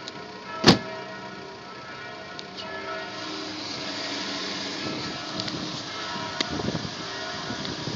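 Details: BMW E46 320i M54 after oil pump replacement: quiet, even idle hum with no rattle, one handling clank near the start; normal healthy idle.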